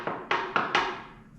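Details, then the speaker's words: Tesla Model 3 battery pack: four sharp hollow metallic pops as the large flat top sheet-metal surface oil cans, snapping between outside and inside from built-up stress; butyl sound deadening being added to reduce it. "What that is doing is that large flat area right here because it doesn't have anywhere else to offload the stress, it pops between outside and inside and it's oil canned."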